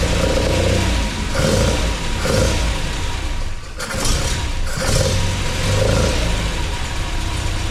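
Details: MGB with a newly installed Weber 45 DCOE carburettor (new jets, float height set, top off), first start and not up to temperature. Crisp throttle blips rise and fall cleanly with a slightly uneven idle; running well and responsive, idle needs adjusting.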